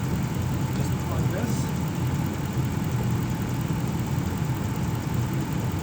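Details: 2006 Ram 1500 4x4, 5.7L Hemi V8, idling at operating temperature after a Gates water pump replacement: even, low burble with no ticking, knocking or whine. Sounds healthy; thermostat cycling 190–208 °F, good coolant flow, air bled from the system.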